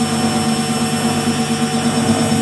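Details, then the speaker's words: Lux Royal WH 1090 front-loading washing machine after replacing drum bearings and motor bearings (6201 front, 6202 rear): smooth steady whine through the spin with no grinding or rumble; previous rough airplane-like noise gone, bearings now healthy. "Suara mesin cuci yang sudah ganti bearing tidak short. Ok, ada sok tapi sudah mendesing aja"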